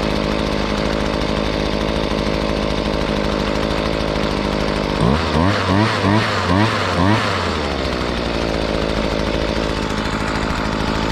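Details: Hitachi 23.9cc two-stroke gas engine, likely the 2015 unit, with an owner-noted fuel leak: a high, steady drone with a few quick throttle blips midway, picking up and settling cleanly; runs healthy.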